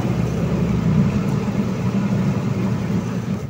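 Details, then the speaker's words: Micromatic single-tub washing machine, after gearbox replacement for a noisy spin: a steady low motor hum with an even whir, spinning smoothly and strongly without knocks or grinding, no leaks. Normal spin. "Ayan oh malakas naman siya okay namang umikot nice"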